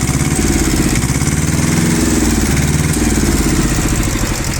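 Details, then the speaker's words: Iseki TS1610 rear-drive mini tractor, two-cylinder diesel, 1037 engine hours, throttle blipped from idle: thrum climbs smoothly and settles back evenly, no knocks, rattles or excess smoke; normal revving. "Я думаю, слышно, что двигатель работает как двухцилиндровый, но при этом максимально ровно и максимально хорошо, без лишних призвуков. Сейчас нажмем на акселератор."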